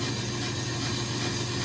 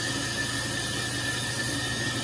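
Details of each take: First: Brake lathe turning a 2017 Chevrolet Silverado half-ton 4WD rotor at very low speed on the final finishing pass: steady even hum with smooth cutting hiss and no chatter; clean, fine finish. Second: Brake lathe turning a rotor on auto feed: a steady, high howl rides over the lathe's hiss as the cutter chatters from taking too much off on this pass.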